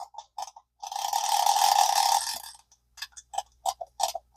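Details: Early-1960s single-rivet all-metal Zebco 33 spincast reel after repair, burr found on the end; dry even clicking and whirring as handle turns, then separate clicks; reel mechanism working properly.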